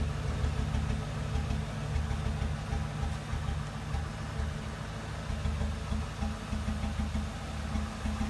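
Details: 2007 Ford Crown Victoria that shook violently during a highway pass and came home in limp mode: lumpy, uneven idle with an irregular stumble every second or two; engine misfire at idle, cylinder 8.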